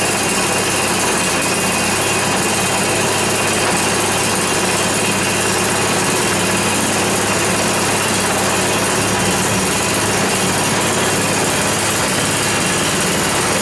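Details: 10 HP Tecumseh single-cylinder engine on a Yard Machines snow blower, long-stored, restarted on full choke after priming: fast, steady patter with no misses or knocks; normal cold start and idle, though an oil change is still planned.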